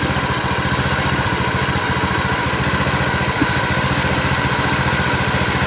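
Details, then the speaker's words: Honda Beat injection scooter after about 2 months on Revol Matic 10W40 oil; busy single-cylinder idle with a coarse, rattly edge over steady firing pulses, rougher than with usual oil, performance still fine. "ya jadi hasil suaranya ini seperti ini ya untuk dari suara [Musik] agak kasar karena kalau kita menggunakan oliell tidak sekasar ini meskipun tetap ada suara e [Musik] gesekannya"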